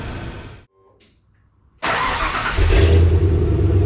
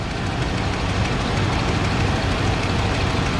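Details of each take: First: Cold 1995 Ford F150 revving into a deep pulsing rumble with a raspy puffing edge, exhaust vented outside by hose, during throttle position sensor work; exhaust leak suspected, not confirmed. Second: 1995 Ford F-150, cold start after replacing the throttle position sensor, exhaust vented outside: steady even low rumble with no knocks or misses that settles down to a smooth idle; engine running normally, though an exhaust leak is suspected.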